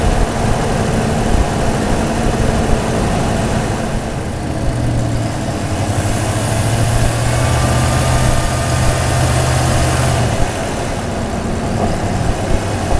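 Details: Supercharged Toyota Tundra with a TRD air filter replacing K&N, mic hung in the engine bay over the airbox. Deep V8 idle and revs with a thin high whistle riding over them as revs rise. Intake air filter whistle.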